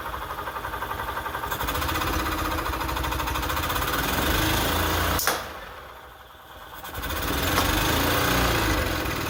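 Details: 1998 EZ-GO TXT gas golf cart, bought as non-running and engine repaired: small single-cylinder engine catches and settles into a steady, even thumping idle with no misses or knocks; sounds healthy.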